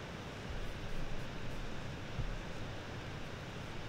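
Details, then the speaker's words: 2024 Lenovo Legion 9i laptop at idle, even on quiet mode: a steady, low airy fan rush with no tone or rattle that never drops away completely; the constant idle fan noise is annoying. "what concerns me is the fan noise while laptop is Idle even on quiet mode it's consistent and never completely disappears and in my opinion it's quite annoying"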